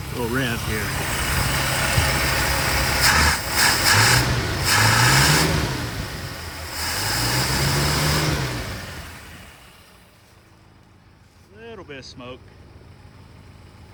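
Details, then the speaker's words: 1962 Chrysler Newport 361 V8 with TorqueFlite A727, first start after 17 years on a gravity-feed tank with no radiator: catches, idles and takes light revs smoothly without smoke. Rings may need to seat. Normal idle and light revving. "oh sounds pretty good actually and doesn't even smoke or nothing no smoke this car is probably going to run pretty good"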